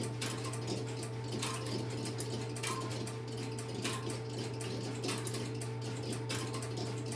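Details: Stromberg Carlson X-Y telephone switching equipment in a private collection, a call placed into it: constant low hum with steady mechanical clatter as the interrupter starts and runs evenly; normal interrupter operation.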